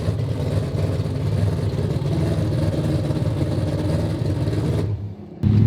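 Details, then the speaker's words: AWD four-rotor rotary car at idle with only 20 psi oil pressure: deep steady idle with a constant gear-like whir underneath; owner suspects failing oil pump internal gears. "the sound we're hearing is definitely different sound. You know what that sound reminds me of? Huh? The internal gears of the oil pump."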